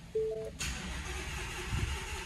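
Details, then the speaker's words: Ford Mustang GT350 after Mustang Week: engine cranks, catches and settles into a rough idle with uneven knocking underneath; Ford later confirmed the motor broke; rod knock. "it's knocking y'all know you guys hear that the car's making all types of noise right now man it's making all kinds of noise"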